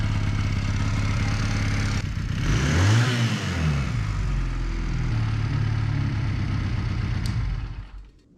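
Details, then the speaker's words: 1981 Honda CM200T after new carburetor with idle and mixture screw adjustments, just started on choke and warming up: even low putter around four beats a second, a clean blip, then settles back; steady normal idle. "And it starts right up. We'll let it warm up for a little while."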